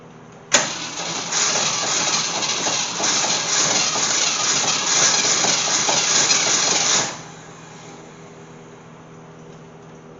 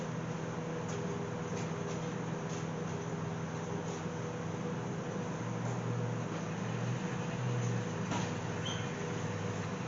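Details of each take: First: Gremlin that sat in fields for years, with a swapped-in unknown AMC 290 V8 from a 1968 Javelin, reused points, and fuel poured in: catches almost immediately and runs with a loud, slightly lumpy beat, starting again. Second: AMC Gremlin that sat in fields for over 15 years, fitted with an unknown 290 V8 from a 1968 Javelin, fuel poured in. Steady starter churning with no firing pulses. No spark suspected. Crank no start, no ignition spark.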